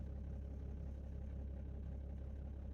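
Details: 2008 BMW 330d diesel with smoke and lumpy idle for the first minute after start and glow plug faults. After a new module was fitted and codes cleared, it runs a quiet, even idle with a steady beat and no misfire; maybe not cold enough to show faults.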